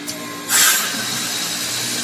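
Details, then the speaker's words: Heat pump outdoor unit ending its defrost cycle and switching back from cooling mode to heating: a sharp whoosh of refrigerant gas, then a steady hum as it settles. Normal end of defrost. "now that units going back to proper way and that is the visual side defrost cycle"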